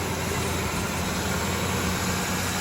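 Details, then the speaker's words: Ford Ranger after fuel rail to lower intake manifold gasket repair for P0171/P0174 lean codes, battery reset: smooth even idle, steady low rumble, no misses or hiss, no fuel leaks. "but I don't hear any major problems I'm not smelling any fuel leaks sounds like the uh for the wires put on correctly sounds like it's getting its bearings here"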